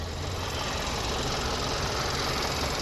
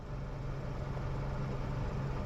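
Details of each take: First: 2012 Kia Optima four-cylinder that cut off and wouldn't start, idling with old battery refitted: steady but uneven, slightly lumpy, shaky idle under a flat hiss; cause unconfirmed, suspected air filter, battery or alternator or needing a tune-up. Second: 2012 Kia Optima four-cylinder after fixing a no-start by working the gear selector back and forth with the ignition on. Quiet, even low hum at a steady idle with no misses or knocks: normal idle.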